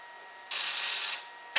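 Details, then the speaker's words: 1929 Fairbanks Morse Z 2 hp hit-and-miss engine, trembler buzz coil after fixing backwards or loose wires: sharp high even buzz about half a second, then short second buzz; coil firing properly. "Before you ask, no, I don't know how the buzz box works. I just know when it buzzes, it sparks and etc."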